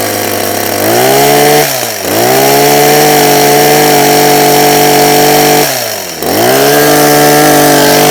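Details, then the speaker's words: Husqvarna 123HD60 hedge trimmer after new carburetor diaphragm and carb clean, half choke: two-stroke revs crisply from idle twice and holds a steady, even high-speed buzz with no stumbling, running cleanly. "New diaphragm, carburetor clean. Turn it on, bit of choke, which is that way. Half choke. That's already starting better already."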